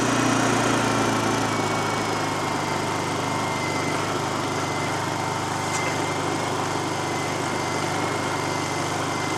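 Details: Honda EU2000i generator, about 8 years old, Mobil1 10W-30 synthetic oil, after venturi/orifice cleaning: steady even hum at constant pitch, no surging or misfires; runs smoothly, back in action.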